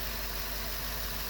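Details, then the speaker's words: GM 8.1 Vortec V8 in an RV, restarted after engine wash, no fan or belt fitted so water pump not turning: steady smooth low rumble, no misses or knocks; normal idle, washing broke nothing. "nice and smooth that's good to know i didn't break nothing by washing it"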